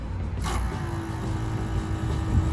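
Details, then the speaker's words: Alfa Romeo Giulietta 2.0 JTDM 170, brake fluid flush after front pad change: click, then thin steady electric hum of the ABS pump for about 1.5 seconds, flushing circuit one (front right and rear left); pump running normally. "hear that pump going again and that's just flush that through once more"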